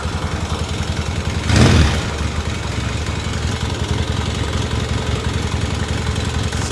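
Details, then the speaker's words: 1978 Yamaha XS650 twin at idle after winter storage, running on both cylinders: even low thump with a light busy chatter on top; owner suspects valves may need adjusting, unconfirmed. "Make sure we're running on both. Yeah, we got got a little Let's see if it just if it oils up and it goes away. It's running on both. It's making a little bit of racket."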